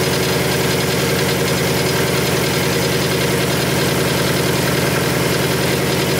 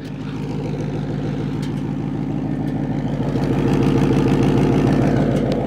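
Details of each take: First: Supercharged 2019 Mustang GT with P0300 random misfire code after a flashing check engine light while racing, just started: loud steady idle with a fast even weird rattle; rattle source unidentified. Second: Supercharged 2019 Mustang GT with P0300 random misfire code, pulled off the road after driving, at the tailpipe: steady even idle, no stumble or miss; idling fine apart from a slightly dirty tailpipe.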